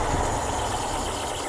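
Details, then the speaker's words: 1968 Morris ambulance van being restored, started after a simple carburetor fix: engine settles into an even, steady idle with no misses or stumbles, running cleanly. "that sounds lovely not too bad isn't it with a simple fix to the carburetor the moris is on the road and running"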